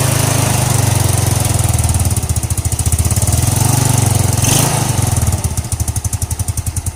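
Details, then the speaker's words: Single-cylinder scooter that was hard to start in the morning, after the faulty part was replaced and the head reassembled: steady, even low putter at idle with regular firing pulses and no ticking or knocking; runs normally now. "oke Guys motor sekarang nih sudah hidup jadi bermakna memang masalah yang aku tunjukkan Tari itu apa yang aku sudah ganti itulah permasalahan utama dia"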